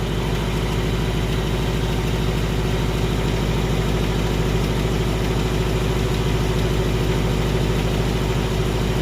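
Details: 2018 Ford engine with recurring "typewriter/BBQ" tick: steady fast ticking, about three per second, over a smooth idle; persistent valvetrain-type tick of unknown cause.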